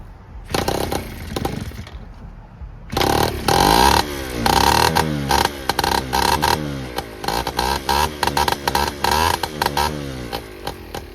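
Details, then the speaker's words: Honda Express 2 scooter, 60cc big bore two-stroke, after carburetor rework and refit, cold: after a few kicks it crackles into life and snaps through short sharp revs cleanly; runs great, healthy. "Yeah, what do you think, Braden? Dude, it runs great."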